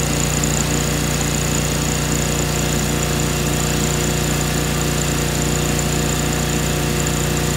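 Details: 2003 John Deere X485 garden tractor, 25 hp liquid-cooled Kawasaki EFI engine, 660 hours, fuel pump just replaced: starts right up and runs smoothly at steady speed with no knocks, misses or surging.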